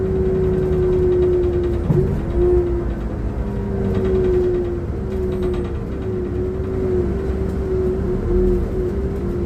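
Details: Transperth bus TP1422 on service 209 to Murdoch Station, recorded inside: steady mid-pitched whine over low diesel drone, wavering slightly with load; bad engine sound, source unknown.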